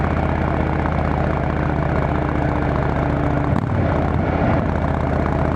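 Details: Motorcycle on a road test ride after replacing the failed exhaust gasket with a similar-thickness one: steady deep drone with even, smooth beat, no ticking or puffing; exhaust leak fixed, sounds sealed and healthy.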